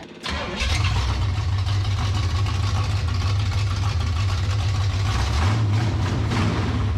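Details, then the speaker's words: 1967 Pontiac Firebird, abandoned about 15 years, first start on a temporary fuel supply; fires into a fast, droning high idle with a slight wobble and won't idle down. "it won't even try to hold idle there the only time it tries to hold the idle is way up"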